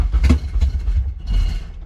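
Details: K-swapped Honda Civic on a tuner's Kpro base map, first start attempt on a new battery: a few ragged, stumbling firing pulses, then it dies within two seconds and won't hold idle. Engine fires then stalls.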